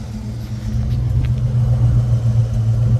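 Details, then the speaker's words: 1986 Ford Mustang GT Cobra, fuel-injected 5.0 L (302) V8 with BBK headers and a full off-road exhaust with stock turbo-style mufflers, idling: a smooth, deep burble and steady low rumble with no rasp or drone. Normal, mellow exhaust. "it's actually pretty mellow even when you're going down a road it's pretty mellow sound"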